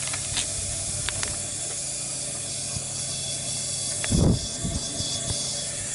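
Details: 2001 Honda Recon 250 ATV with no compression, leak-down test with valves closed: a steady rushing hiss as air is fed in, initially suspected to be the head gasket; teardown found a rust-pitted bore and worn, seized piston rings.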